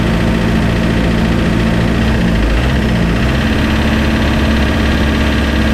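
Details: Spryte snowcat "Rusty" turbodiesel, just after fitting new OEM Zexel injectors with copper crush washers: deep, steady, even diesel idle clatter with no stumble or hunting; idles much smoother, rock solid after coming off acceleration.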